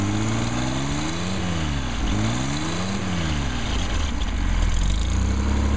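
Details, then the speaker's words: 220S six-cylinder engine after a full rebuild, about an hour total run time, warming up with 90–100 psi oil pressure: a smooth, even hum rising and falling gently with small throttle changes, no knocks or ticks; normal idle. "sounds good and looks good a Happy Engine"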